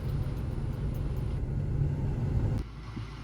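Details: 2006 Ford Focus after fixing a P0303 cylinder 3 misfire and resetting the computer: low, even idle rumble with no stumbles or skips, dropping away smoothly near the end; running cleanly.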